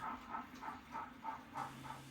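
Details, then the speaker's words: HO scale Southern Pacific layout: light regular clicks about three a second as cars cross a rail gap on a curve at a flexible bridge, the gap shifting as the weather changes. "You'll hear some good clicking as the cars go across the bridge. And that's from crossing over a gap on a curve."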